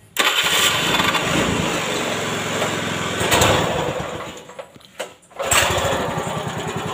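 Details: Older carbureted Honda Beat scooter with hard electric starting, after fixing the starter; short starter whirr, catches right away, idles, dips briefly then picks back up: electric start now works normally.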